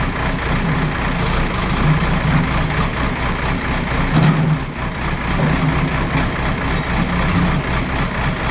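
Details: JCB backhoe loader diesel working under load after the fuel line was bled, tested for the earlier cutting-out. A loud, steady low drone holds even with no dips or stumbles. Running fine; no problem found.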